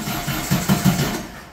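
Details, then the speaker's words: 1600cc VW dune buggy air-cooled flat-four before the spark plug change, with a known cylinder 1 misfire, in cold mid-30s°F weather: short uneven bursts of firing that stumble and die away. The lumpy, broken beat shows it still running on three cylinders. "that doesn't sound like much more than three to me"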